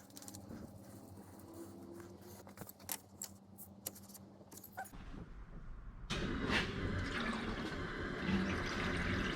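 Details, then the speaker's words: LS7-powered S14 competition car with rear-mounted radiator, bleeding coolant after clearing an airlock at the electric water pump: low steady pump hum and rushing water flow evening out as air clears; normal circulation. "So now what I do is, you'll hear the water pump pumping, and now I can just bleed it off up here. Sweet, and so you'll hear everything, the water flow and the water pump start to sound pretty consistent."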